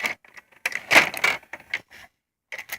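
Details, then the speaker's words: Hitachi VT-FX695A VCR loading a tape: short click bursts and brief motor whirs as the tape is threaded, a healthy load, slightly different from the owner's earlier, near-identical Hitachi VCR. "so let's insert a tape and it makes a slightly different noise than the other one I had"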